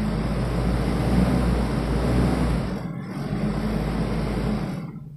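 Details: 1991 Toyota Kijang Super 1.5 manual, carbureted petrol engine held at a raised idle just after a cold start, running steadily before dropping off; without throttle it runs unevenly.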